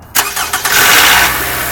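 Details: 2010 Toyota RAV4, cold start: after brief cranking, a harsh raspy grind rides over the engine for about half a second as it fires, then settles. The noise is intermittent, and TSB-0146-10 addresses it.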